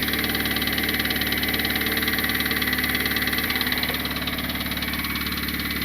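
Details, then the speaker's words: Turbocharged Honda Civic R18 engine that blew, idling with valve cover off: fast, fairly even tapping, about four per second, over the idle; owner hears knock more around cylinders 3 or 4, cause not found. "I definitely still hear knocking. Now I'm hearing the knocking more on like 3 or 4 actually."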